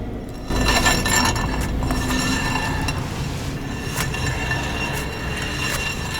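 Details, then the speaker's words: Renault Logan (also Sandero/Lada Largus) front wheel jacked up, out of gear, spun by hand: rough metallic scraping and clinking as worn front brake pads rub the disc; fix is pad replacement. "Поддомкратили, сняли с передачи и переворачиваем колесо, и как можно услышать, колодки вовсю терутся об диск. До такого состояния тормозную систему лучше не доводить."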